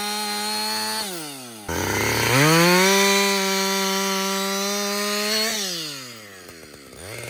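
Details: Husqvarna 562XP chainsaw, hot after its longest straight run following a shop reflash for dying when hot and stumbling. Crisp high scream settles steady through the cut, drops and revs back cleanly without bogging. The owner says it is the best it has ever run. Normal running under load.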